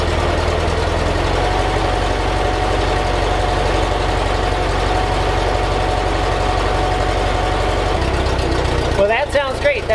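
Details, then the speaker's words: 1958 Porsche 356A T2 Normal Cabriolet flat-four, cold, after electrical tune-up (points, plugs, distributor, timing): even steady beat with all four cylinders firing cleanly and no misses; nice smooth, healthy idle. "exactly how it should sound. Sounds wonderful. Nice and smooth. Now the car's cold, of course, but what I'm listening for is an even hit on all the cylinders, and it sounds like it's hitting perfectly on all four cylinders."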